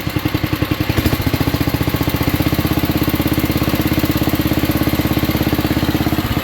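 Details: 1967 Unico 7 hp tractor, first run in 27 years after carb rebuild, RPM dropped to idle: even, steady low thumping about twelve beats a second, no misses; smooth healthy single-cylinder idle, smokes a little.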